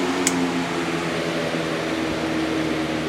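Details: New Lasko CoolColors box fan on medium: a steady, even whoosh of air over a low motor hum, with no rattles or ticks; normal running.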